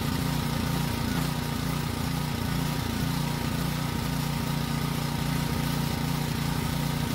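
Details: Generator that previously ran only on choke, carrying a light load; small engine holds a steady, even drone with no surging or stumbling, running normally under load.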